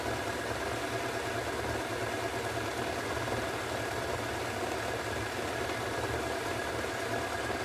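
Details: Hoover Extra Wash spinning at 1400 rpm with a steady, even roar and a low rumble underneath. Drum bearings suspected to be nearly worn, not confirmed.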